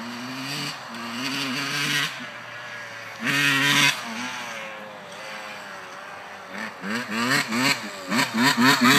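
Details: 1991 RM80 two-stroke revs surging and sagging unevenly, stumbling on each blip; horrible bogging persists despite a new carburetor and cleaned airbox, cause unknown.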